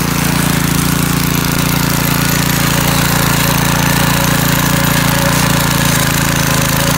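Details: McLean 3.5hp Briggs and Stratton edger after carburetor tuneup and oil change, started cold: steady even single-cylinder thrum with no misses or surges; runs well and cuts a nice line.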